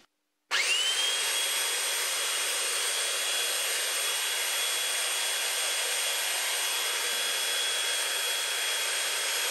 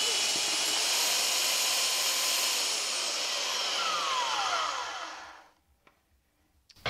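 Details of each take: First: Flea-market Holtshair hand belt sander fitted with a new belt: motor spins up instantly to a steady high whir with constant pitch and even hiss, no rattle or slipping; runs fine. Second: Flea-market Holtshair hand belt sander while adjusting belt tracking: high steady motor whine drops in pitch and winds down to silence within seconds as the belt catches and breaks, stopping the sander; owner unsure if his fault.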